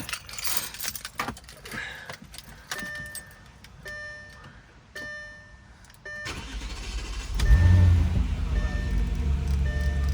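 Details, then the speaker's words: Audi S4 after DIY fix for red low oil pressure warning, not started since the previous day: chimes, brief crank, engine catches cleanly, flares and settles to steady cold idle; normal, warning no longer appears. "all right guys this is literally the uh the moment of truth let's get into the car i haven't started it since yesterday"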